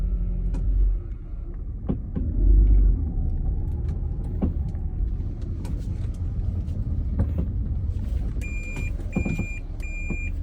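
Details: 2015 Toyota Prius pulling away from a stop: sharp, irregular clicks about once a second over low road rumble, clicking when accelerating from stopped.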